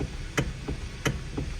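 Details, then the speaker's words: 2013 Hyundai Sonata: sharp clicks in loud-soft pairs as the steering wheel is wiggled, suspected to come from the power steering motor. "you hear that noise there's clicking noise and I assume that noise is coming from power steering motor"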